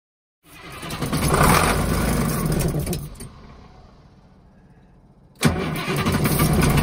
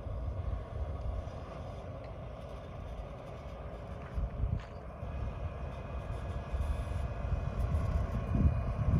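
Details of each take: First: Bluebird FC coach no-start: two bursts of heavy rhythmic cranking about four beats per second without catching; no fuel because the electromagnetic fuel shutoff solenoid isn't pulling in when keyed. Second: Bluebird FC coach diesel that wouldn't start due to a faulty fuel shutoff solenoid, now running on a temporary fix: low, even diesel rumble with wind across the mic, firming up toward the end; engine running normally.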